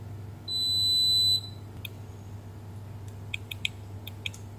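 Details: Beko WMB71033S front-load washer control board (no display, clicking): one solid high beep about a second long, then light probe clicks; meter shows the DC/VCC supply rail near two capacitors shorted to ground, traced to the ATmega64A microcontroller.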